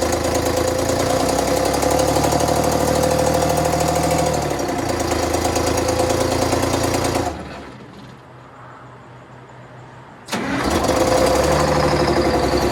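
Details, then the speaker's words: Bus conversion diesel cold-started in chilly weather: lumpy, uneven heavy chugging that briefly drops away then steadies; one bank seemingly not firing, owner suspects a valve problem, not confirmed. "so i don't know if you could uh hear that but um definitely that one bank just doesn't want a light"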